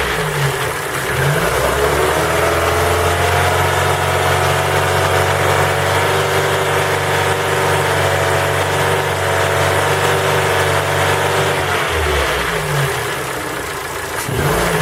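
Engine held at raised revs with a steady rapid tapping riding over the drone, dropping back toward idle; cold-start knock, cause unknown.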